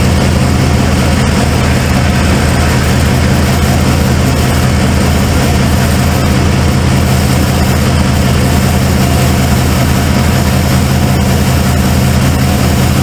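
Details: Cold start of a 1995 Ford F-150 V8 barn find: a loping, uneven idle with an irregular stumble. The owner suspected plug wires or firing order, and a passenger-side plug was gas-fouled.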